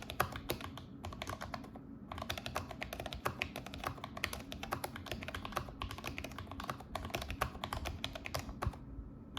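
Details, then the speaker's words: Logitech G915 TKL keyboard after a foam and painter's-tape mod with lube, done to cure spacebar clunk and keycap rattle: fast, even typing with crisp, solid clacks and no keycap rattle after each keystroke. "<b>But if you put a bit more.</b> <b>Yeah there's no rattle man.</b>"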